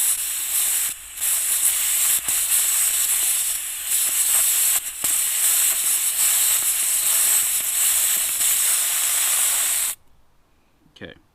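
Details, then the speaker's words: Freedom Ropes-sold Jerk Pirates digital tire deflator threaded snug onto the valve stem, core turned counterclockwise until it clicks: strong steady air hiss with brief breaks, then a clean stop; normal tire deflation. "So you just want to keep turning it counterclockwise, and you'll hear the air start coming out."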